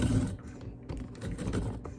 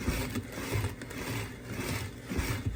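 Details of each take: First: Cuisinart Food Spiralizer cutting a potato under downward force: rough, uneven grinding bursts as the motor strains. The potato is lodged and not moving, so the blade chews it instead of cutting. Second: Cuisinart Food Spiralizer cutting a whole russet potato after the holder was switched from the spiky setting to the round-groove setting: steady rhythmic rasping about twice a second as the blade cuts cleanly, with no catching. Normal slicing.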